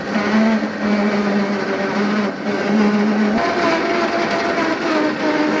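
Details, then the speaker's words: 11HP Sears Craftsman lawn tractor, fire-damaged, converted to electric with belt-driven brushless motor (rotation reversed), first test run in third gear: smooth steady motor hum stepping up as it pulls away, no grinding or clicking; drive works well. "so it works better than I thought it would."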